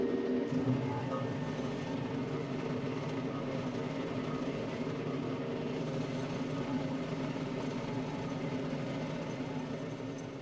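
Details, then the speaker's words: Baumalight 3P38 three-point stump grinder on tractor grinding a roughly 30-inch stump; steady even churning roar with no bogging or speed drop, pulling cleanly under load; normal operation. "this has been a fantastic experience using this so far very very powerful very convenient"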